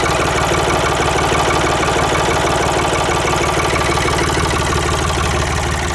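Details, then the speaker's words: Ford 3910 tractor diesel after replacing the snapped return fuel line, idling unmuffled while warming up: loud, open idle with an even knock about three beats a second, no stumbles; healthy idle, new line not leaking. "everything looks good so i'm gonna let it warm up a few minutes and then i'll park it and then put the cover and muffler back on there that thing sounds pretty good without a muffler"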